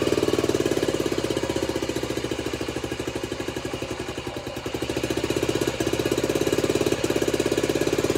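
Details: Honda CT90 (Trail 90) with a stock engine, after a full restoration and new wiring harness, started on barely any fuel after it seemed flooded: small single at an even, steady idle, crisp regular firing, no knocks or misses; runs healthy.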